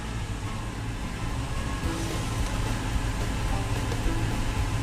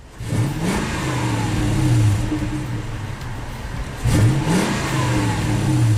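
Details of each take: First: 2000 Toyota Tundra SR5 4WD 4.7L, idles low and dies, worst when hot, no engine light; foot off the pedal while warming, idle dropping to about 350–400 rpm in gear. Low, lumpy idle ready to die; dirty throttle body venturi suspected, cleaning was the fix. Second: 2000 Toyota Tundra SR5 4WD 4.7L, fully warm after 10–15 minutes running, after cleaning a dirty throttle body that caused low idle and stalling: two throttle blips rev cleanly and settle to a steady idle without dying; normal.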